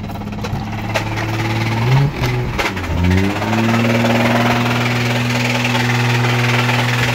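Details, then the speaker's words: Rod knock on a JDM 1JZ six-cylinder imported from Japan (around 70k km), run about 500 miles; noise began after a few pulls, driven 4 minutes; idling, heard from outside the car, deep knock under low hum after throttle blip. "very serious rod knock so we're gonna see if we can pull it from my grandmother's house up to my house"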